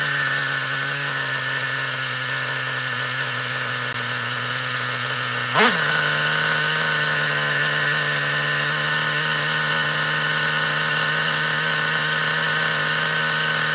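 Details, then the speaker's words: Traxxas Revo 3.3 nitro RC truck that had been running badly, apparently starved of fuel, with a badly bent exhaust: a steady high-pitched buzz, one blip, then an even run, more fuel flowing and more smoke, now running normally. "Sounds better to me. Looks like it looks I think there's a lot more fuel coming through there."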